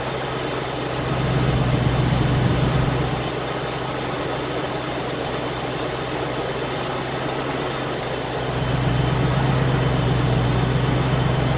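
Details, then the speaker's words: Land Rover Discovery 1 3.9 V8, first start after about 18 months standing, oil pump primed first: fires up almost straight away and idles with a steady, even low rumble, warming until both hoses are hot; normal idle. "it pretty much fired up straight away"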